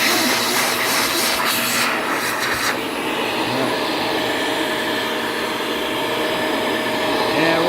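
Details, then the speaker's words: Ninja Shark vacuum after cleaning, suction restored; steady high airy rush over even motor hum, no surging, rattling or choking; normal vacuum running. "And now, when I go put back, you can hear the fans kick up, or the rollers kick up."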